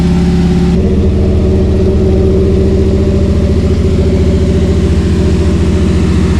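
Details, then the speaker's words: Cammed Chevy C10 V8, carbureted, after tune-up and months sitting, previously missing: loping, choppy cam idle, steady and even with no dropped beats; miss is gone, normal idle. "that sounds it sounds for helping that miss is gone so we measure what we did not sure what was going on it's been missing"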